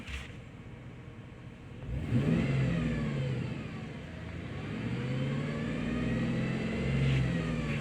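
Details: 2007 GMC V8 truck: constant whine from the lower front of the engine that climbs with throttle; owner suspects water pump or harmonic balancer; engine whine rising with revs.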